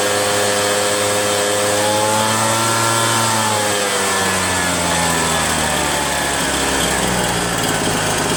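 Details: RedMax EBZ8050 gas backpack blower two-stroke after new piston rings fixed no compression (rings very tight, hard pull, hard start): climbs and settles through a few revs with clean, even tone and no misfire; runs normally.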